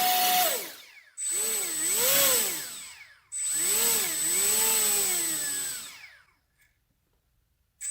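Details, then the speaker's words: HobbyKing EZIO 800 electric RC glider motor on a ground throttle test after replacing a suspected defective ESC: clean whine rising and falling smoothly in two bursts, no strange noises or stutter; confirms the old ESC was faulty. "no strange no noises whatsoever very [Music] smooth"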